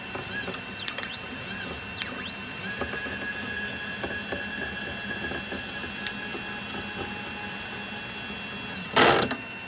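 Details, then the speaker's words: CNC 3018 Pro during first wiring tests, no end stops fitted: stepper whine sweeps up and down, holds, then a sharp harsh burst as the Y axis crashes at end of travel and the stepper skips. "Well, that was bad. That's why you need end stops."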